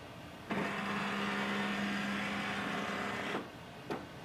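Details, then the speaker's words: HP DeskJet 4300-series all-in-one (4352/4355/4310/4320/4322/4332) scanning the alignment page: even motor whir of about three seconds as the head sweeps, power light flashing, then one soft click at the end; normal printhead alignment. "Alignment can take few seconds or under a minute. The power light will keep flashing that time. In the end you will hear a sound."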